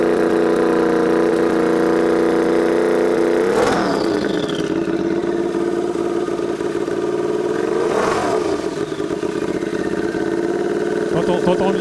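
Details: Turbocharged Royal Enfield, tuned custom build, warmed up: two sharp revs from lumpy idle with a faint turbo whistle rising and falling on each blip, described as brutal and beastly; healthy spool.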